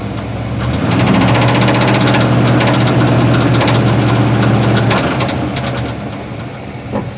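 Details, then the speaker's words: 1973 Chevrolet C10 350 V8 with a 4-speed manual at idle and revving, a steady knock at about 220 a minute persists, sometimes calming down or going away entirely; the seller said bad rod bearing, unconfirmed. "He said it's a bad rod bearing. I'm not really sure cuz you can tell it kind of calms down. Sometimes it goes away entirely and it gets worse like you're hearing."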